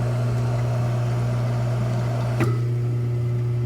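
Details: Hot tub with its single pump on a replacement Balboa BP7 spa pack after the old pack burned out, run on high speed to purge air: strong, steady motor hum, then a click and it settles lower and softer as it switches to low speed; healthy pump.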